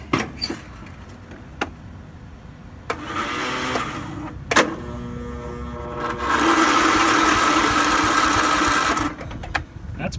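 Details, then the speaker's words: Curb-find John Deere L110 lawn tractor on a battery charger, fueled, previous owner couldn't start it, needs choke: two stretches of sluggish whirring cranking with clicks between, never catches; likely weak battery, no start. "I need to choke it to get it to run like that and this thing does have gas in it"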